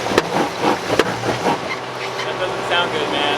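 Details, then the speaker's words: Jeep Grand Cherokee WK2 with Quadra-Trac 2 off road, first heard on a steep trail when hitting the accelerator harder: sharp pops, about three in quick succession, over a low rumble; drivetrain popping under load, forum suggestions include broken CV joint or air suspension, cause unknown. "we got in a situation where i had to really kind of hit the accelerator a little more and then i heard this pop pop pop so let's check that out"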